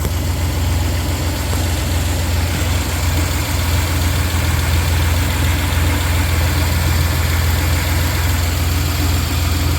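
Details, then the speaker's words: 1993 Dodge Caravan after a new belt tensioner, idler and AC belt were fitted: a steady, even low idle with no chirp or squeal from the belts, running quiet and smooth. "Ah, look at that. Nice. Quiet as can be, and that tensioner rides a lot better. Nice. That's mint."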